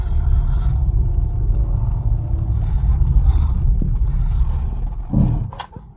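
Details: Maruti Baleno with low kilometres, disc brakes recently opened and cleaned at service: steady road rumble, then a brief groan and short high squeal right when stopping; brake noise returned, cause unclear.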